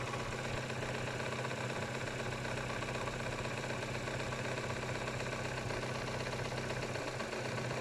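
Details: KIA Spectra 1.6: even idle with a sharp, regular knock about four times a second over the engine hum; internal engine knock, cause not yet known.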